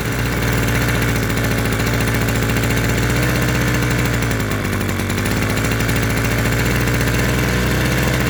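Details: Vintage mid-1970s Victor two-stroke lawn edger, previously stuck engine, run on premix: steady buzzy idle with even firing and no misses or knocks; running smoothly.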